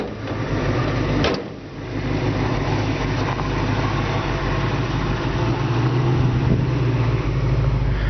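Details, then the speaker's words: 1966 Ford Mustang convertible with new battery; deep, steady, even burble at idle with no misses or knocks, a smooth healthy idle. "You can just hear this engine. It just purrs real nice."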